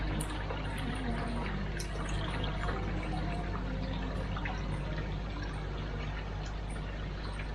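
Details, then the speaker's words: Goldfish pond pump turned up to full power (35; normally run at 27): a steady low pump hum under an even rush and splash of water from the return holes; normal flow. "Let me just turn the pump up. You can hear the water coming through, and there he goes, starting to come out of the return holes."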